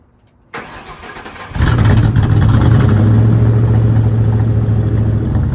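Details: '53 F100 on a Crown Vic chassis after a tune-up with new plugs and coils: brief crank, catches, then a steady low drone with a slightly uneven beat; rough running, owner suspects it was not reassembled correctly.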